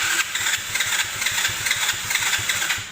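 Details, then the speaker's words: Abandoned Chinese 125cc automatic quad bike with new carburettor on manual choke, old fuel drained, oil dirty: quick cranking pulses pick up into uneven firing that catches and keeps running; normal start, carb may still need adjusting. "Well, that sounds alright. I drained the old fuel out as well."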